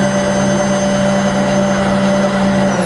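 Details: Rebuilt Bridgeport belt-drive milling machine after full service, power feed running with variable speed and rapid override: steady, unwavering motor hum with a constant clear tone and no grinding or clunks; feed runs healthy.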